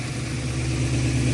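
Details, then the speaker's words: Ford Falcon just after fixing a fuel leak and connecting the starter solenoid, fired right up; low steady idle with even rumble, no misses or knocks, no leaks, runs smooth. "No leaks! No leaks! We're good! Keep it running! Yeah! Dude! Yeah! Holy shit! It's running again!"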